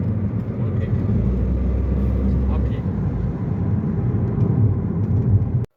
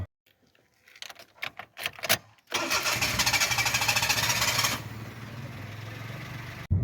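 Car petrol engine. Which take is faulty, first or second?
second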